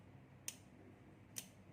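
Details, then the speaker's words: 12VDC aircon relay, with 12 V applied to the coil. Two crisp clicks about a second apart as the coil pulls in and releases; a multimeter confirms the relay is in good condition. "The moment you supply the 12 volt here, then you hear the relay coin is conducting. Tuck."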